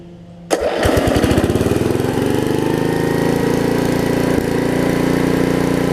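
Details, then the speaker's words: Snapper RER rear-engine mower with a suspected broken governor, run after linkage adjustments: single-cylinder engine fires and runs but speed sags and wanders, no longer racing yet won't pick up as it should; owner believes the governor is failing. "You see it's running a whole lot. Not quite racing like it was. Tell that it doesn't pick it up like it should right there."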